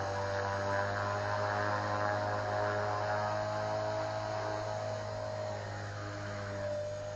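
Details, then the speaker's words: Walkera V400D02 RC helicopter with brushless motor, after replacing gear with chewed teeth, flying at lowered 3650 head speed: smooth steady rotor and motor whine easing slightly lower, no grinding or clicks; stable, normal. "it seems to be okay I might try it out for a while still seems to be fairly stable at that head speed"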